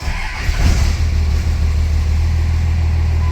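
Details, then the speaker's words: 1999 Dodge 24-valve Cummins diesel truck with a crank-no-start complaint, previously needing ether, now started on the key: catches after cranking, stumbles and sputters briefly, then settles into a steady low diesel idle; brief sputter on start. "okay well that's not too bad that's not too bad it did kind of sputter there for a second but nothing I'm really concerned about"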